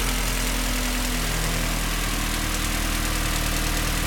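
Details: Honda D16A9 engine: light fast loose-rhythm ticking high above a rough-sounding idle; source not pinned down.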